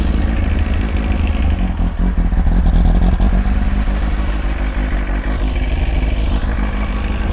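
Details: Old four-cylinder Kawasaki ZX-9R idling after oil change with oil freshly filled to the top line: quick, steady, even beat with a few light blips, no knocks or rattles; oil light goes off, runs fine.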